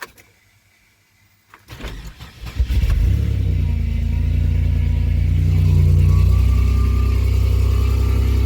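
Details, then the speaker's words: Cold start at about 5-8°F: engine catches and settles into a fast idle with a steady low whine on top, power steering pump whining in the cold, also a vacuum noise heard. "Oh, I hear that vacuum wave. Y'all hear that? Our steering's whining like a mofo."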